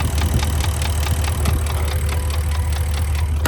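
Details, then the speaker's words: Porsche Cayenne (Turbo tagged) bought with a ticking engine, heard through an opening at idle in sub-zero weather: steady quick light ticking, about five per second, over a smooth low idle; the engine is already sleeved and has run about 30,000 miles like this. "Здесь есть отверстие, слышно, как оно тикает. Короче говоря, этот двигатель уже проехал 30 000 миль в таком состоянии, он уже гильзован."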